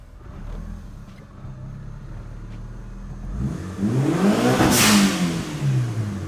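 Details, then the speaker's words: Mitsubishi Lancer Evo 7 after the suspect belt was cut off, car back on the ground and tested in neutral and forward: smooth engine note rising cleanly with revs, no knocking, squeal or grinding. Normal running. "Oh yeah. Yes. All right. So, she sounds good."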